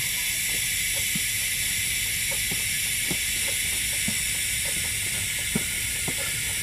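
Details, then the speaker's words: Ford AC after black death cleaning and orifice tube service, about 175 psi high and 20 psi low, car just turned off; steady even hiss of refrigerant flowing through the line as pressures equalize, passing freely. "You hear the gas going through there. In fact, if I turn the car off, set this here."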